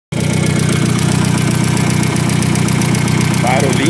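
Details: Volkswagen Saveiro Turbo (Super Surf), about six months after turbo conversion: steady idle with quick, even valve-train ticking about four per second, like lifter tap; valves tapping from low oil level. Car then sat almost two days.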